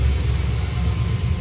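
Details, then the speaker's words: Corvette V8 warm idle after about 10 minutes running, about 1050–1100 rpm, temp just under 200, oil pressure 60, charging 14.06 V: steady even low rumble, no smoke, ticks or knocks; wobbling pulley needs replacing. "we're idling at right around just uh about 10 50 maybe 1100 rpm all of our gauges are rock solid"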